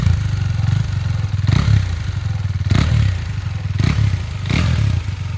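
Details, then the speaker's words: KTM 390 idling with a few throttle blips: steady low single-cylinder thump, no knock or rattle; engine reported healthy with no complaints. "അപ്പൊ ഇതാണ് കേട്ടോ വണ്ടിയുടെ engine sound. എഞ്ചിനൊന്നും യാതൊരു കംപ്ലൈന്റോ കാര്യങ്ങളോ ഒന്നും വന്നില്ല."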